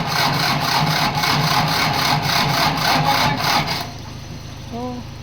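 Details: Ford that won't go into gear, cranking: the starter gives a slow, laboured chug of nearly four pulses a second for about four seconds, then quits without firing. Weak battery.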